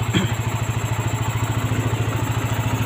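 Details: Yamaha NMAX 150 single-cylinder scooter engine, just rebuilt after a broken piston, radiator coolant refilled, idling; even steady putter about 3.5 pulses per second, no knocks or rattles, normal idle.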